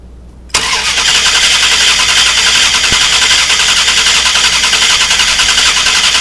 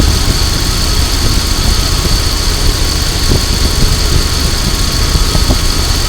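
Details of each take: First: 2000 Dodge Durango 5.9L V8 during fuel pressure test: starter spins steadily about nine seconds, three to four beats a second, never fires; crank no-start, later traced to bad ignition coil. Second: 2000 Dodge Durango 5.9L V8 after ignition coil replacement, ignition cycled four times before cranking: starts first try, deep even rumble, faint steady whine, no misses or knocks; normal idle.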